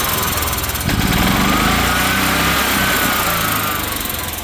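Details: EZGO golf cart, Kawasaki FJ400 single-cylinder, after new spark plug, then new fuel pump and fuel filter for fuel starvation, a little choke; belt off: steady quick even putter, no stumble or hunting; runs clean now.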